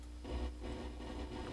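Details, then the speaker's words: Buzzing from a Scarlett 2i2 USB audio interface that flares when the computer mouse moves, heard while testing an SAE Mark Nine preamp and amplifier; low hum with gritty bursts, while the amp and preamp are dead silent without the interface. "that buzzing noise you're hearing is again coming from the audio interface the amplifier and preamp is dead silent when you take those off of there"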